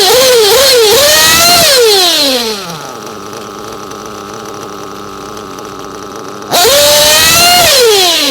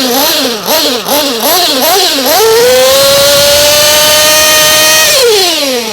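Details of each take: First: Hot engine already tuned, being set with VP Power Master: a high screaming rev drops to a steady burbling idle, then snaps back up with no hesitation and a little smoke. The top end is set, and this is a correctly tuned bottom end. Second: Hot, already-tuned engine deliberately richened with the fuel screw to demonstrate: small blips, then a high buzzing note that sounds soft and mushy instead of crisp; running too rich.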